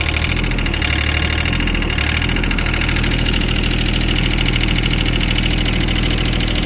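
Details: Wacker Neuson 803 / Cat 300.9 mini excavator diesel, bought as-is, glow plugs suspected: loud fairly even clatter at idle, about three knocks a second, barely smoking; owner calls it fuel knock, unsure if normal or one cylinder not firing.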